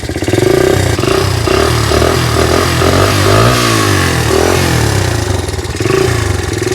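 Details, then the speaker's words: 1982 Honda XL80S small single-cylinder motorcycle, sat for years, just kick-started cold: quick popping beat rising and falling with throttle, slightly uneven; just cold and still warming up. "Oh, see, it's still got to warm up a little bit. So let's let it warm up."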